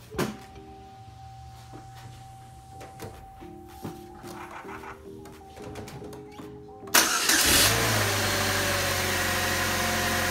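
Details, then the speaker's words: 2004 Chevy Cavalier 2.2L Ecotec after the fix for rough running (P0300 misfire, P0171 lean): chime tones, then cranks, catches quickly and settles to an even, steady idle, running much better; check engine light still on. "already if you can tell from the video if you watched it syncs running so much better so we'll take it for a test dri"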